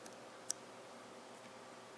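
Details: Electrolux MEF33 220V microwave after replacing the faulty keypad membrane (buttons previously unresponsive): a single short, clean electronic chirp on a keypress in a quiet room; the keypad now registers presses normally.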